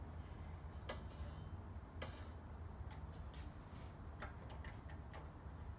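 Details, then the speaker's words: Scott Bonnar Model 45 mower, freshly sharpened reel and bed knife, one side being set while hand-spun and adjusted with the height screw: faint, uneven light ticks with a quiet hum as the reel just touches the bed knife. "so spinning and adjusting at the same time yeah we can hear that the reel is just touching the bed not"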